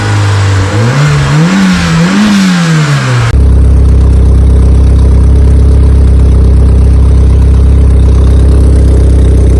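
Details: Honda EK Civic with a freshly built Vitara D16 turbo engine on its first start-up, radiator cap off; a few uneven revs, then a fast steady drone hanging near 2000 rpm. Owner thinks it is an ECU setting and suspects the throttle body.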